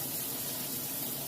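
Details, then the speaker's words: Kenmore washer in final test after 28-point inspection, filling for a clean cycle: steady hiss and gush of water into the tub, smooth and even with no hammering or buzzing; fill normal. "and it's filling up with water right now. Going to go through a nice clean cycle."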